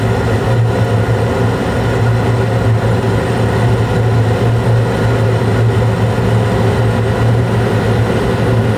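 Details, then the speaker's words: Carrier Infinity 96 gas furnace (58MVB), sealed combustion using outside air, running in 2nd stage in late April with 4 clean flames and blower on: even low hum with steady airy rush, no rattles, scrapes or surging; normal operation. "Looks like it's still running smooth. And like I said, this might be the last time I have to fire it up this season, but we'll see."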